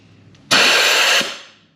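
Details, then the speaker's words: 1983 Honda XL600R non-running engine, leak-down test: loud steady rush of hissing air for under a second then fading as air blows out seemingly everywhere; cylinder not holding pressure, possibly something not fully closed off. "yeah that's blowing out here it sounds kind of like it's coming out everywhere so it we're having trouble getting it completely closed off"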